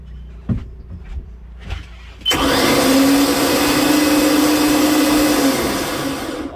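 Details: 2005 Chaparral boat, Volvo 5.7 V8 multi-port injection, rough idle, black plugs, antifreeze previously in fuel via heat exchanger: even starter cranking about three and a half beats a second with a dropout in rhythm; zero compression on one cylinder.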